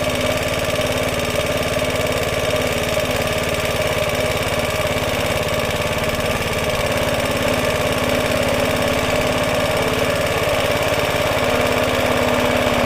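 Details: Roughly 70-year-old Suffolk Super Punch 17-inch cylinder mower, SIF 75cc cast-iron engine, running on oil-petrol mix after carb and points clean, microphone fitted; even steady beat at constant speed, no misses or knocks; clean normal running.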